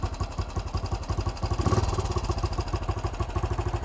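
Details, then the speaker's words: 1968 BSA single-cylinder motorcycle with new carburetor, idle screw turned up before mixture adjustment; runs on its own with even, regular thumps at a steady pace, no hunting; idle now set correctly. "there we go the bike's now running on its own carburetor setting that sounds a bit better it does"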